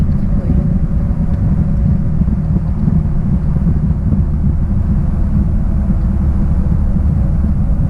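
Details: 1966 Triumph Spitfire, rebuilt 1147cc four-cylinder, driving after fuel system stripped and lines flushed: deep, even exhaust roar holding steady under load, no misses, stumbles or knocks; pulls cleanly and sounds healthy.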